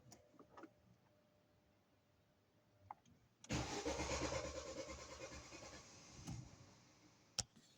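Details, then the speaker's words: Ford Focus III (also fitted with gas/LPG) with a pressure gauge on the fuel line: starter cranks steadily about three seconds but never fires; spark present, fuel pressure stays below 1 bar, so the in-tank fuel pump assembly is replaced. "Ну, щось хотів завестися і ні. О, так буде видно добре. Навіть до одинички не дотягує. Треба міняти."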